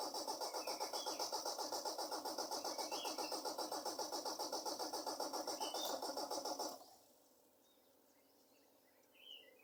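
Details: Engine cranking at about four turns a second for nearly seven seconds, never catching, then stopping. Hard start; owner says the carburetor needs cleaning.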